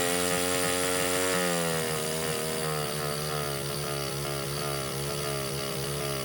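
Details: Baja 49cc mini bike, sat since auction purchase, carb cleaned/rebuilt: steady high-pitched scream that never drops to idle; runs wide open despite throttle screw fully unscrewed. Owner thinks it relates to air intake; cause still unknown.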